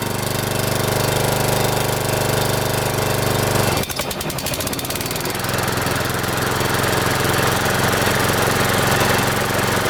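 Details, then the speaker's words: Mower idling after sitting over a year: a slow, lazy steady drone with a brief stumble that never picks up speed. RPMs seem too low to spin the blades fast enough, so last year's cuts were poor; idle speed set too low. "So last year I was cutting with this thing and it seems like the RPMs aren't up enough to spin that blade fast enough to cut and it wasn't cutting that great."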